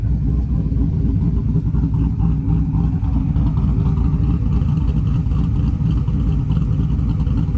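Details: 1995 Chevy C1500 with LS swap, fully warmed up after a 30-minute drive, idling: deep, uneven loping chop about three to four beats a second; a healthy big-cam V8 idle.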